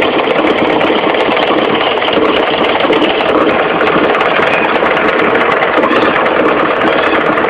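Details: Mitsubishi 4G15 carburetted engine idling with a fast, even ticking knock from low at the front, the crankshaft pulley area: a loose crankshaft pulley, fixed by tightening it rather than replacing it.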